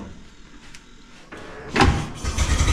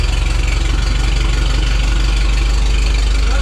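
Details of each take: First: 1912 Oldsmobile Defender, about 113 years old, cold and unstarted for roughly six months, started by turning the crank: a few weak cranking strokes, then a rough burst that won't settle into a steady run; it fires briefly but won't keep running. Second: 1912 Oldsmobile Defender, about 113 years old, just started using a bit of choke and gas: loud, even low chuffing at about three and a half beats per second, steady with no misses or knocks; a normal idle.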